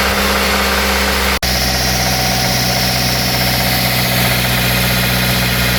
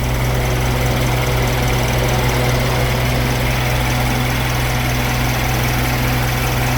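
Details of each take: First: 2008 Suzuki SX4 with 2.0L J20A 16v petrol four-cylinder: constant metallic bottom-end rattle at start and when revved, rod bearing knock; connecting rod bearings and head gasket to be replaced. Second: 2008 Suzuki SX4 2.0L J20A 16v petrol four-cylinder after repair for bottom-end bearing rattle at higher RPM, timing cover and intake manifold refitted; steady even idle with smooth low rumble, no knock or rattle.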